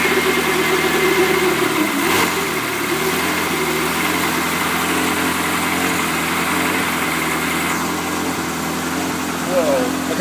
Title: Ferrari 360 rough idle on cold start up